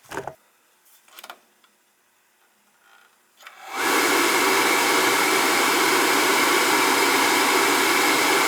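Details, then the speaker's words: Riello oil burner with a new control box that was found fitted with a 75 45 nozzle; 75 60 is the right one. After a click the blower runs to a steady hiss with no flame and it does not fire. The inside was clean, so the wrong nozzle is suspected. "no she didn't fire she was kinda look at wanted to go open this thing up see what it looks like in there"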